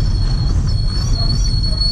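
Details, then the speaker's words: Chevrolet Lacetti automatic moving off slowly: sharp steady high whistle over low rolling rumble, changing with speed, after brake pads and discs were replaced; stone trapped between brake disc and dust shield. "вот машина издает вот такие вот звуки очень очень серьезная"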